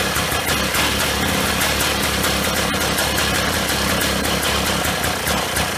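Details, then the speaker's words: 1995 Polaris Scrambler 400 2-stroke 4x4 ATV before PTO-side crank seal replacement: raspy, uneven hunting idle that won't settle, throttle hangs up; air leaking past crankshaft seal causing lean idle, confirmed by sprayed gas being sucked in. "You'll see when it runs, you know, it's got the lean idle condition. Kind of throttle kind of hangs up."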